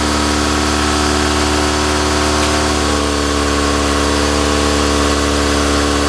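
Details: Toyota AE86 Corolla GT-S with a dead battery, started using a Moto Master charger's engine-start mode: catches and holds a steady, even idle with a constant hum and no stumbling; runs normally.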